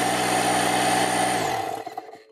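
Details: Parkside PKZ 180 C5 piston air compressor (1100 W, 8 bar), started to inflate a ball: loud steady buzzing drone with a hard mechanical rattle, then winds down and stops; quite noisy but normal running.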